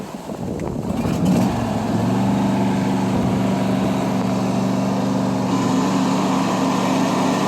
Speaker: you're going to notice how the noise happens when I let off of the parking brake and then goes away when I push down on the parking brake.